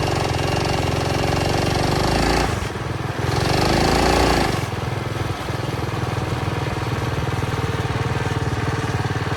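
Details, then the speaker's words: Early-1970s Pacesetter Trailbuck mini bike on a test ride after fitting a new torque converter not set up for jack-shaft use; small engine drones steadily and surges briefly but never builds road speed. Torque converter slipping. "Okay, I got back from the ride and it didn't go very well. It wouldn't climb up to speed and it wouldn't accelerate well, and it's doing pretty much the same thing as it did before."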